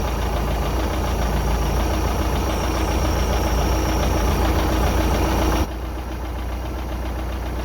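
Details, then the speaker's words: 1982 Sea Ray boat engine, first run on its own fuel after revival, water pumping out the side: steady, even, smooth low idle with water splashing; running cleanly, owner calls it pretty smooth. "Running good. That's just pretty smooth on an engine, if I ever say so myself."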